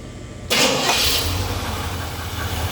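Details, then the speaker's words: Warm engine with adjusted ignition timing fires instantly on the first turn of the key, a "one hit wonder," then settles straight into an even, steady, healthy idle; normal start. "We call that a one hit wonder. Hit that ignition one time and you wonder how it fired up like this."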